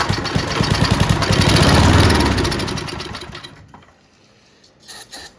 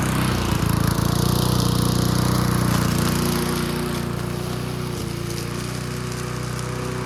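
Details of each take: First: Junkyard Bob-Cat push mower, running on brake cleaner before carburetor cleaning: revs climb with rapid chug then falter and fade; won't hold high rpm, carburetor to be cleaned. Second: Old junkyard-find Bob-cat push mower with an aluminium deck, primed and started outdoors: a smooth, steady single-cylinder drone with only slight swells in speed, running clean and holding its revs. Normal running.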